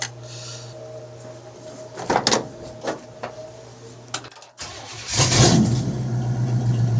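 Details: Engine with Turbo 350 transmission, after dipstick tube leak repair, spark plug wires reinstalled: catches after a short crank and settles into a steady, even idle with no misses or knocks; normal idle before timing was set.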